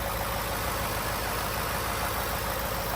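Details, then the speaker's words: 2018-2020 Ford F-150 5.0L Coyote petrol V8 idling after spark plug replacement; steady, even low rumble, smooth with no misses, knocks or ticks — normal idle. "put your hand on it should be nice and smooth everything seems good to go"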